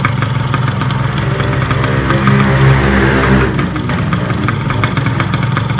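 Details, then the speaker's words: Yamaha RX King two-stroke after rebuild fixing klotok knocking, vibration and roughness (new con rod, piston, crankshaft bearings, new clutch): idles evenly and revs smoothly on a throttle blip, sounding very smooth. "hai oke halus banget untuk suaranya"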